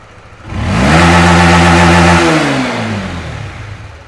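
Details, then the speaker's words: Fuel-injected Honda Winner V1 (2015–2018) that had severe throttle hesitation, blamed on a faulty sensor. After repair it revs smoothly to full throttle without stumbling and drops back cleanly; normal full-throttle rev. "Đã không còn bị hụt ga nữa tôi kéo lại một lần nữa anh em nhé"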